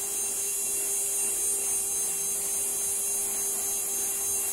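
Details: CNC spindle motor bench-tested before return to customer: steady even whir, constant mid tone and high hiss, no wobble or pulsing, no vibration; spindle running smooth and healthy.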